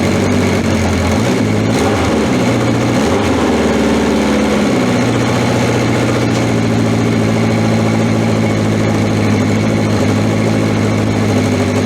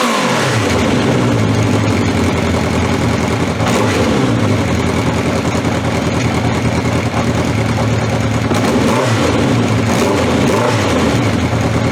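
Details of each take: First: Honda CB750 K four-cylinder, cold start after battery reinstalled and fuel tap on: settles into a steady even idle with smooth consistent beat, no knocks or misses; sounds healthy, no oil leaks. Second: 1982 Honda CB750 K motorcycle on old, stale gas: uneven revving that surges and sags, stumbling rather than pulling cleanly; fuel starvation with the fuel tap left off, and the stumbling eased once it was turned on.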